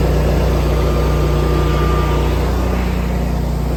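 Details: 24kW Generac standby generator started during a power outage in hot weather: even, steady low engine drone under outdoor noise, no knocking or surging; running normally.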